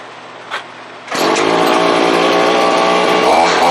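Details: Chainsaw after servicing, bar oiler sprayed with gun oil, cranked to check oil delivery; catches after a couple of pulls and revs to a steady clean high buzz with no stumbling; normal revving.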